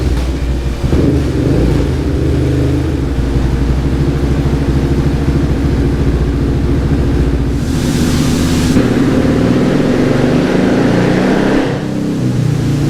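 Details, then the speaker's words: 2019 Yamaha Raptor 700 with built top end, Dasa full exhaust and new Vortex ECU during dyno tuning: single cylinder pulls cleanly up through the revs and settles back without pops, misses or fireballs; normal, healthy running. "sounds like it's like coming down from Peak power really nice and like leveling out nice that I mean it's noan pops or anything like that no it doesn't pop at all no no Fireballs n it's running really great"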